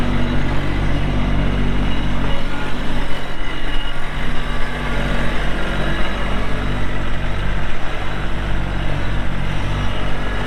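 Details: 2022 Kubota LX2610SU 4WD hydrostatic compact tractor with LA535 front loader, 138 hours, running; steady, even diesel chug with a deep low rumble, no knocks or misses. Normal running.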